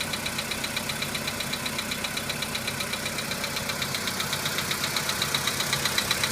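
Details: VW Polo Sedan cold start: sharp, regular ticking knock about two and a half per second over idle, fading as the engine warms; source not identified.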